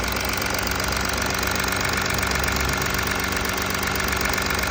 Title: Audi A4 B9 272 ps Kaltstart Motorgeräusche